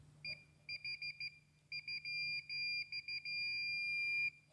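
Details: 2012 BMW xenon headlight module diagnosis, water-damaged headlight assembly: short beeps as the probe touches connector pin 11, then a steady tone; continuity confirms the ground pin is good, power pins missing.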